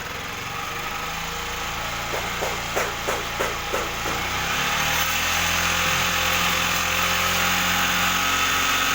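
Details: Yamaha R15 that had been stuttering, after the regulator was replaced (charging reading now 14, previously 17–18): small single revs up cleanly a few times after a choppy start, then runs steadily and evenly with no misfire.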